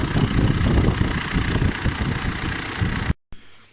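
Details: Diesel engine after overhaul just started in the shop: low, soft thrum ticking over evenly without knock or rattle before shutting off; normal idle.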